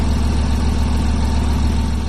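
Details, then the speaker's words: BMW i8 three-cylinder after cold start, now idled down, camera held underneath the car: low, steady, even thrum with no knocks or ticks; engine sounds perfectly fine despite overheating warnings from a coolant problem; normal idle. "so to me it sounded like his engine was running perfectly fine"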